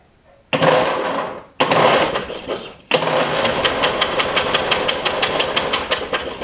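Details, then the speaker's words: Toro Wheel Horse 1232XL with 12.5 hp Briggs single, spark plug removed before a carb kit install: starter spins in short bursts, then steadily at about one pulse a second, with hissing puffs as fuel blows out of the flooded cylinder. "we're going to crank it and gas is just going to come flying out here but y'all get ready"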